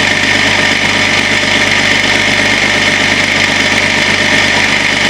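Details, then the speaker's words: Range Rover P38 at startup idle after water pump and belt replacement, coolant-less 13 years: loud fast metallic rattle remains; initially blamed water pump, actual cause failing crank pulley. "But unfortunately, even after changing the water pump, we still had a horrible rattle."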